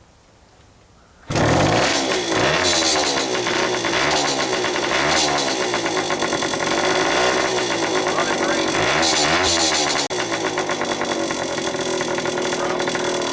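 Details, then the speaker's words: Restored Indian ME100 two-stroke first fired up after boring the cylinder for an oversize piston: it starts right up into a crisp, ringing two-stroke note, with revs blipping and falling freely; engine sounds healthy. "The rest of the bike, we restored this, and as you know, we just got done boring out the cylinder, and now we'll fire it up."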